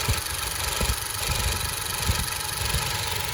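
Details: 2012 Hyundai Azera engine idling steadily after an oil change and filter swap on the ground, recorded at the motor during a leak check; even low rumble, no rising noise, smooth and healthy, no new oil dripping.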